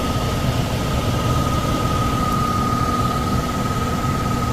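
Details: Likely downstairs furnace unit, call for fan not turning on: steady heavy low rumble with constant thin tone; blower loud and shaking. Tech suspects overamping and shutting off, bearings sound clear but loud on startup; checking rated amps and capacitor, cause unknown.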